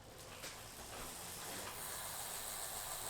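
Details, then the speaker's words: Bicycle rear hub freewheeling: a fine fast ratchet buzz swelling and fading in a slow pulse about twice a second, linked to the hub's bearings; normal freehub ratchet pulsing. "So I have a question from Eli, wondering just out of curiosity, when freewheeling, why do so many hubs have a pulsating ratchet sound? Shouldn't it have a more consistent sound?"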